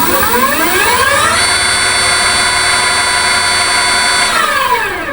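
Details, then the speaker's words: Datai motor in a vehicle after mounting nuts were tightened properly, run with accelerator: smooth whine rises with throttle, holds, winds down evenly, no knocking or grinding; motor sounds perfect, normal run. "তো আপনার মটরের শব্দটা যদি এরকম হয় কাজ করার পরে যদি শব্দটা এরকম হয় আপনি ধরে নিবেন যে একদম পারফেক্ট আছে।"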